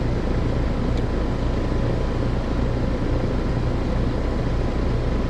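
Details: Heat pump outdoor unit, fan disconnected, defrost cycling okay; compressor draws about 10.3 A (11.5 A total). Steady heavy low hum with a coarse rough edge. Compressor is the loud noise, judged about to fail and needing replacement.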